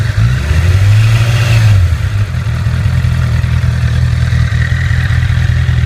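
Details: 2008 Honda CBR1000RR at about 29,400 miles, revving and dropping back: a dry, loose rattle. It was suspected to be a faulty cam chain tensioner, and replacing the tensioner removed the noise.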